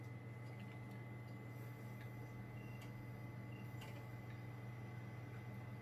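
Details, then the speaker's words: Xbox 360 disc drive previously stuck closed and grinding discs, after realigning the tray pin: quiet steady hum with faint whir and light ticks, no grinding; spins smoothly and game loads, normal disc spin. "it looks like it's worked perfectly fine she's a game actually loads"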